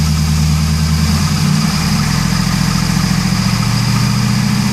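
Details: 2001 Pontiac Trans Am WS6, 6-speed manual, 41,4XX miles: V8 idle with deep rumble and faint repetitive tick, much louder than when bought; quiets after 20 minutes warm-up but not fully. Owner suspects piston slap, bent pushrod or lifter tick.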